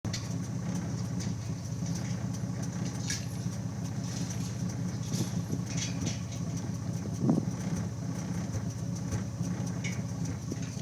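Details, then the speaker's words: Mitsubishi 3G Eclipse 6G75 V6 idle after removing clogged 3.8 L injector and fitting a 3.0 injector; steady idle with a soft bump early on from slight fuel starvation; misfire from fuel starvation. "so it's got a little bit of fuel starvation which you can kind of hear back there uh at the beginning of the video that little bump kind of sound"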